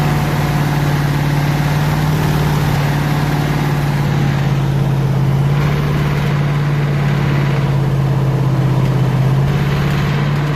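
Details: 302 V8 powering an air compressor, after the troublesome HEI distributor was swapped back to the old points distributor and the carburetor rebuilt: steady, even idle with a smooth low drone, no misses, knocks or hunting; runs cleanly.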